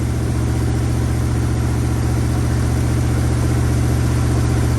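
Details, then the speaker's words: 1965 Acadian Beaumont V8, restarted after a cold snap: even, fast idle with a steady deep rumble and no misses, sitting noticeably above normal idle speed; high idle. "Oh, hey! Idling a little high."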